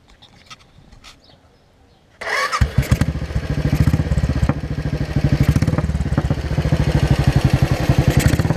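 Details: 2003 Royal Enfield 500 iron-barrel with new performance carburetor replacing stock, Gold Star muffler: fires after short crank, loose loping thump around two beats a second, slightly uneven; normal start-up and idle.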